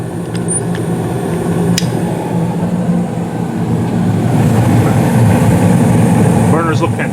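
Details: Carrier gas furnace in the basement serving the first floor, burners lit with steady blue flames: even, low steady roar with no pops, flutter or surging; normal burner operation.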